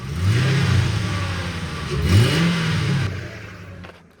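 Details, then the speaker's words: 2003 Mercury Grand Marquis LS (bought with an intake manifold leak), free revs: it climbs smoothly through two clean revs and settles, with a deep throaty exhaust and throttle-body/K&N intake suction noise. Normal, healthy. "That throttle body and that K&N make that nice suction noise."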